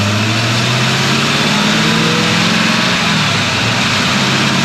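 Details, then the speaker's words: 1964 Ford Fairlane V8 with old Busch Series race carburetor: loud steady rumble held well above normal idle, won't idle down; throttle return spring too weak to close the linkage. "we've had a lot of issues with it so far it won't idle down it's still it's still idling up way too high"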